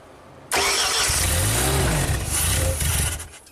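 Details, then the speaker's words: Ford-powered JLG boom lift, sat two years after a tree fell on it: brief cranking catches and runs rough for a few seconds with the stuck electronic throttle plate manually held open; the ECU tries to control the throttle, but the stuck throttle causes the no-start. "Yeah, that throttle is stuck, but the computer is trying to control it, which is interesting."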